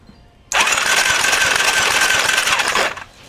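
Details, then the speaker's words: Cannondale engine that suddenly died on the trail, 40 psi compression: cranks over fine with fast even starter whir, no compression pulses or catching, intake cam not rotating; cause not yet found, engine to be pulled. "the thing cranks over fine but the intake cam does not rotate I don't hear no clinking no hesitation or anything of it trying to turn over"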